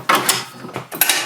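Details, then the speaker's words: 1996 Yamaha G16 36-volt electric golf cart after replacing a bad solenoid: crisp solenoid clicks followed by a brief whir as the drive takes up; the cart moves forward and reverse, a normal engagement. "now our solenoid as you can hear is clicking the cart is moving as it should forward and reverse"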